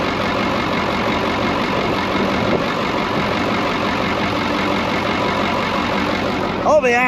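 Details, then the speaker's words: Brockway 358 truck with Cummins 555 diesel after valve adjustment, loose injectors adjusted and intake valves tightened: steady, even idle with a smooth regular beat and no ticking or misfire; running healthy. "it sounds so much freaking better all i did was literally all that i really did was we just adjusted whatever injectors were loose and uh tightened up pretty much all the intake valves"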